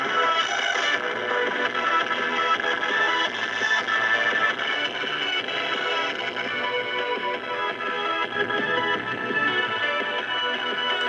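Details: 1935 Silvertone Model 1968 13-tube radio just after recapping and new power resistors, powered at only about 80 volts, untuned and with no antenna: clear AM station music plays steadily with no hum, crackle or fading.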